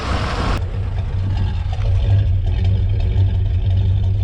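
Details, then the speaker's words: 1993 GMC 1500 sat 10 years, just revived, burnt wiring: deep lumpy idle with uneven chuffs about twice a second, puffing black smoke from too much fuel; owner suspects dead cylinders misfiring, sounds cammed. "Yeah, it's just puffing black from way too much fuel. Probably the dead cylinders."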